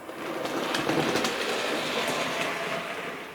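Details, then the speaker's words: Model locomotive Sir Walter Scott after replacing the split axle gear: light, even clicking rhythm at a steady pace with no heavy clunk; drive gears meshing cleanly, runs smoothly. "and you can hear that sounds and runs really really nicely"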